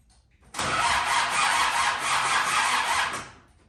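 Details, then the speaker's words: Land Rover Defender TD5 conversion cranks steadily about three seconds without firing; no fuel pump heard because the upside-down crash cut-off switch had tripped. Crank, no start, no fuel pump. "um and I realized that I didn't hear the fuel pump I've just checked no there's no fuel pump the crash cut off switch was upside down and it had gone off"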